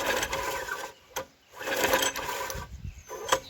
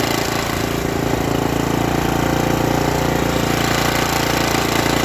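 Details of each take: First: Junkyard Briggs & Stratton tiller engine (owner thinks 5 hp), water-logged, cranked after the stuck valve was struck with a rubber mallet. Short, light, fast cranking bursts with no compression beats and no firing; the valve is still stuck. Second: Revived Briggs & Stratton tiller single (owner thinks 5 hp), once flooded and seized in a junkyard, after a stuck valve was freed. It holds a steady, even putter at constant speed with no hunting and runs well. Owner may still tweak the governor.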